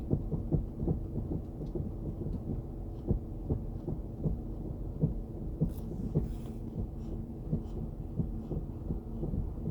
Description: Strange tapping sound when hitting brake pedal